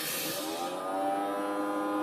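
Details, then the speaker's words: Newly installed unmanaged network switch, just powered on: a thin, steady whirring whine with a rough edge from its small cooling fan, which is turning and blowing but noisier than a healthy fan; the fan is possibly bad. "that don't sound good. Sounds like we got a noisy little fan."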